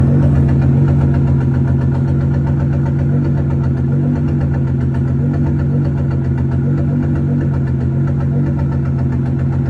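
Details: Nissan GT-R R35, 26,000 miles, idling in Park: steady low idle with a faint uneven tapping about four times a second in the exhaust note, like a slight miss; first odd noise, cause not yet pinned down.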